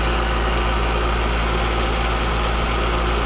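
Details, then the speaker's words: Home heat pump outdoor unit with Alliance scroll compressor: loud steady hum with a coarse, rattly roar. Noisy scroll plate from running on a nearly empty refrigerant charge. "That just sounds like the scroll plate. I've seen it happen a lot lately on these run-throughs with Alliance compressors, and just too much liquid getting back."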